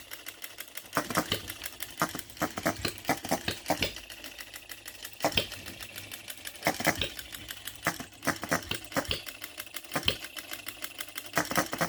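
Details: New OKMO Retrol B02 miniature petrol hit-and-miss engine, on 25:1 shellite with Marvel's Mystery Oil: sharp firing pops in short clusters with quiet coasting gaps, steady and unlaboured. Normal hit-and-miss governing.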